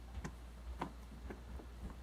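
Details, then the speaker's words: Ariens GT17 garden tractor, new Chinese starter sticking: drive gear forced by hand turns the whole shaft with sharp, irregular clicks, not every time; suspected burr on shaft end or inside the drive piece. "If I force it, you can hear there's almost a clicking noise."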